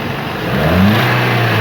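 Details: 2007 Toyota Corolla XLi, after repair for misfire and check-engine light: catches and revs cleanly, pitch rising smoothly and holding even with no stumble; running fine.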